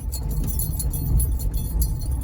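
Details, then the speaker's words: 2020 Ford F-250 Super Duty, 40,000 miles, driving over bumps: springy metallic rattle, like a flicked spring, from front passenger side above road rumble; loose running board step with broken clips. "Definitely feels like passenger side front right. And I would pretty much describe it as if you have a spring and you flick the spring. I mean, that pretty well matches the sound."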